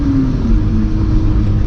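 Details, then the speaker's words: VR6 test drive after swapping in a 1.8 axle from another car: smooth pull under acceleration, steady engine drone, no pops, clicks or clunks from the front; axle healthy. "All right, let's see what we got. I already don't hear anything, so we're off to a good start."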